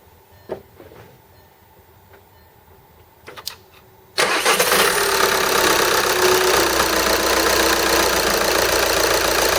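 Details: 2010 VW Golf TDI 6-speed manual, just over 120k miles: diesel idles with a whirring, grinding whine over its clatter from a failed compressor-side turbo bearing; turbine hit housing, bent shaft; failed at 55 mph with sudden power loss.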